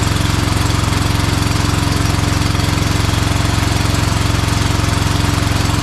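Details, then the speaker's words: Bad Boy Maverick zero-turn mower with a Kohler Confidant V-twin, low on power: runs with a steady, lumpy thump after losing spark on one side once it ran a while; failing ignition coil suspected. "you could hear it when it it was sparking for a while there and then it once it ran for a little bit then it it lost spark on that side so I'm pretty sure it's going to be that coil"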